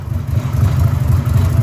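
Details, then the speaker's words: Nissan Z31 drift car at idle, power steering pump leaking fluid after a line replacement: deep uneven low rumble with a loose pulsing rattle underneath; rattle from the failing power steering pump. "that rattle is the power steering and hearing it sounds like [ __ ]"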